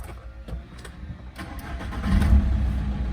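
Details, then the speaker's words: VW Caddy 1.9 TDI with nearly 400,000 km, which had been hard to start, after a sensor replacement, engine at about 53°C: short uneven cranking for about two seconds, then it fires promptly and settles into a steady, even diesel idle. "фух хотя би Працює"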